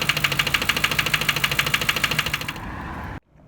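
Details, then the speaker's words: Lincoln Town Car, over 250k miles, suddenly began knocking while idling parked in a garage: sharp even ticking about three per second until shutdown, loudest on one bank; owner suspects valve train, unconfirmed; ticking knock at idle. "so this morning car was running fine parked it in the parking garage while i was sitting in the car uh just checking my emails before i walked into the office all of a sudden the car started making uh a knocking noise"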